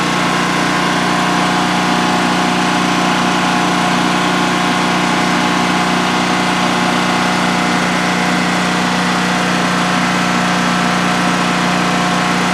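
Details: DuroMax XP15000HX generator installed in a shed, on its second start, running on propane with the exhaust fan not yet on: a constant, even drone at a steady pitch with no surging or knocking during a 5-minute check run. Normal idle, no issues.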